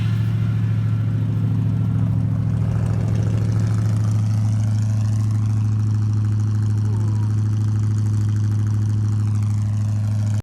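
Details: 1975 Ford F-100 carbureted V8, parked 17 years, running after a brand new 2100 carburetor replaced one that wouldn't run right, plus new coil, plugs and wires; deep, steady, even idle with no knocks, misses or stumbles; normal idle.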